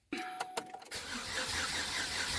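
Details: 2008 Chevy Cobalt bought cheap, reportedly seized engine, no battery, ground wire just cleaned: a few clicks, then the starter churns about 1.5 seconds with no firing or catch. Crank, no start.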